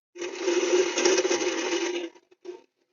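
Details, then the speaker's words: GMC Yukon rear brake after the rotors glowed red; turning the rear wheel by hand gives harsh metallic scraping and clinking. Owner suspects worn emergency brake shoes, not confirmed. "That ain't good. Yeah, we definitely got to get this apart. Sounds like the emergency brake shoes, they're probably gone."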